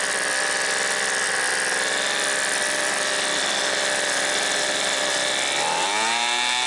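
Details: Homelite Mighty Lite 26B two-stroke blower, garage-sale non-runner fitted with a new aftermarket carburetor and adjusted from slightly lean: high steady scream held at wide open throttle, pitch dropping smoothly off throttle; runs clean.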